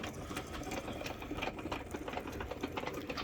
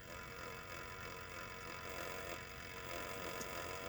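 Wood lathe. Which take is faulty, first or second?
first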